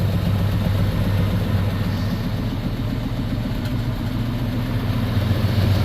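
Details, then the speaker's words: 1959 truck started after sitting two years, on a spare battery, oil pressure present: low lumpy idle with uneven puffing pulse about three to four per second; owner suspects cracked or leaking exhaust manifold or a misfire, unconfirmed. "Sounds like my manifold is cracked or leaking, but that's a minor problem, I suppose."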